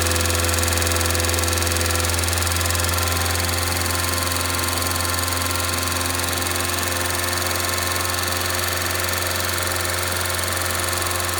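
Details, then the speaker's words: 2002 Rover 75/MG ZT engine, warm at idle with the temperature gauge normal, rather smoky. There is no obviously bad sound apart from a light, quick ticking from a couple of tappets, suspected to be losing some oil pressure. "but I cannot hear any obviously bad sound from the sound from the entr apart from a couple of taets that's loing a bit of oil"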